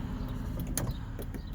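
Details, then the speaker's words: 2007 Dodge Caravan power sliding door: short smooth motor hum with light clicks as the door travels, no grinding or binding. This door works properly, unlike the other door, where the chain appears faulty. "let's try this one okay that one's much nicer that's the way it's supposed to work"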